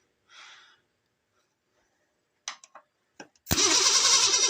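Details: Ford Ranger (franger) after rewiring and adding a ground: brief starter clicks and a pause, then the engine catches and roars into a loud steady run; starter issue suspected, starter whacked, jump pack replaced.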